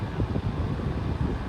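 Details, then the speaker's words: New 11-inch Hampton Bay table fan: deep, gusty whoosh with low resonating rumble and buffeting, no clicks or rubbing; sounds slightly air-restricted, like a previous defective unit, but owner thinks it may just be moving lots of air. "hope you can hear the wind stream it is moving quite a bit of wind so maybe that's just what it sound like because it's moving so much air"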